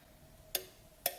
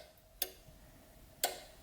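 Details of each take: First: Ford CCRM fan relay module bench-wired for a Holley Terminator X with PCM power supplied: two sharp relay clicks about half a second apart, both circuits pulling in; normal relay operation, module fully powered. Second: Ford CCRM fan relay module bench-wired for a Holley Terminator X with the PCM power pin 10 unpowered: only one crisp relay click, main power on but PCM power circuit not energized, so the computer-controlled fan won't work.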